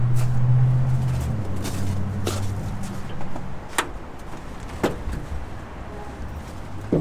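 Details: 1946 Dodge Deluxe with swapped V8 on open headers, fed from a gas can: deep, loud burbling rumble that settles and fades with a few light ticks; normal running, though a loose fuel fitting sprayed fuel.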